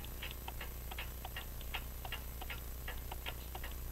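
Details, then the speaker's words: French crystal regulator clock, possibly made by Vincente, bought as non-running, with an open escapement and jewel-like pallets: light, even tick-tock about four beats a second with equal spacing over a low hum; the escapement is running in beat. "so I think you can get that sounds like it's in beat come on focus thank you anyway that's the way it works"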